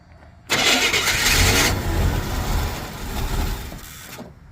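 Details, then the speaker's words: 1987 Chevy K20, 350 small block, sitting for years, fresh premium fuel added to an empty tank: catches with a flare of revs, then lumpy uneven idle and dies in about three seconds; spark timing suspected; rough idle, stalls. "little bit of a rough idle got the keep his foot on the gas she don't want to idle still don't want to idle"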